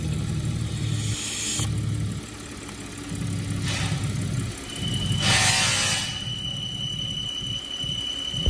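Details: 2015 Audi Q7 engine running with a thin steady high-pitched squeal coming in partway over the idle; source not pinned down.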